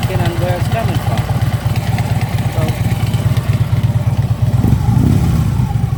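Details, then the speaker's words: Harley Ultra Limited V-twin idling after new compensator, which is now quiet: loping thump with a loose, tinny rattle on every beat from the lower end, like something loose; source unknown, owner hopes it quiets after a highway ride. "It's almost like something's loose. It's like a rattle."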